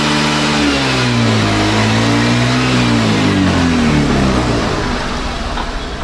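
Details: Access 125 scooter with misfire problem, after fixing hose-pipe bush: engine revs up and back down smoothly, pitch climbing and falling evenly with no stumbles or misses; misfire resolved, runs clean.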